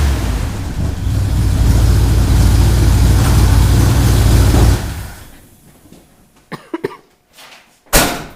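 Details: Ford Bronco V8 after motor rebuild, first run, recorded from across the shop; deep steady rumble for about five seconds at even pace before shutting off. Normal running; carb noted running a touch rich.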